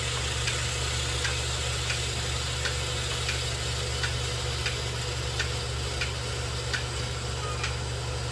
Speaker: You can hear that clicking. That clicking is the fertilizer injector working.